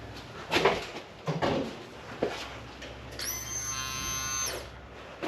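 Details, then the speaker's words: Holden Commodore abandoned in a farm paddock, fuel pump tested by turning the key with the wiring harness pigtail plugged in: a few clicks, then a steady high-pitched electric buzz of about 1.5 seconds, pump priming normally, pigtail fine. "I could hear it from up here. So, that pigtail is fine."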